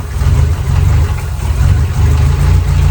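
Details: 1993 Volvo 245 turbo-swap wagon with a fuel problem, fuel pressure regulator vacuum line plugged. Deep, uneven idle that surges and sags near stalling, with piston slap noted. Rough stumbling idle; fuel delivery/regulator suspected, unconfirmed.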